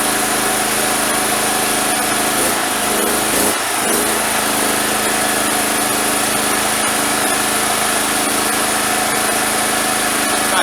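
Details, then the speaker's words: Single-phase gasoline generator that wouldn't start after long idle, after starter cord replacement and fuel/filter check, exhaust hose fitted: steady, even single-cylinder drone at constant speed with no misses, surging or knocks; running normally. "Надів я трубу, щоб зараз тут мені не смерділо. Включаємо зажигание, заводимо."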